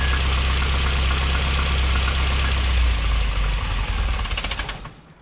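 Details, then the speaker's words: Triumph TR7 with twin HS6 SU carbs, choke pushed in: engine runs rough, sags and dies within seconds; cannot run without choke, running too lean on insufficient fuel. "As you can hear, there's absolutely no way she can start without choke. So she's obviously not getting enough fuel. Uh it's running far too lean."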